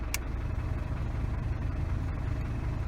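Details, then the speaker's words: Isuzu D-Max at idle with AC switched on: steady low idle with only blower hiss, no clutch click or load change; compressor magnetic clutch not engaging, caused by worn carbon track in switch resistor not supplying current. "มีแต่เสียงลมเปิดตัวคอนโทรลแอร์ตัวนี้ก็ไม่ทำงาน"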